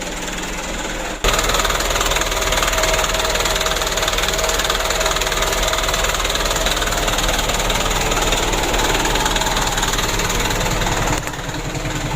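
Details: Mitsubishi Canter diesel after injection pump plunger replacement and pump adjustment: steady, even clatter at about 600 rpm idle, no misses or hunting. Normal idle, repair completed.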